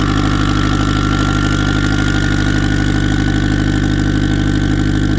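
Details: Turbo car on E98 fuel, runs rich on the low end, kept under 4 psi. Heavy, throbbing idle with a slight hunt in the beat; running unhappily because the tune is for a 6466 turbo with 1.05 housing but a Precision 7675 is fitted.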